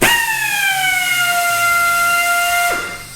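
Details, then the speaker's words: Central Pneumatic 90-degree air drill on a 30-gallon Husky compressor with the regulator at 105 psi: a bright whine starts strong, then sags in pitch and drops off. The tool is starved for air from the low supply. "so you can hear how it it starts off pretty strong and then it it kind of drops off let's crank up the air pressure"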